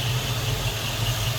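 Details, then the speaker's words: Stock 1979 Ford Thunderbird, 302 5-liter V8, 40,000 miles, idling: steady smooth low rumble, even beat, no knocks or ticks; normal idle. "Just kind of what you'd expect out of a stock 79 Thunderbird. Nothing crazy. Not blowing any smoke or anything loud and obnoxious coming out of there."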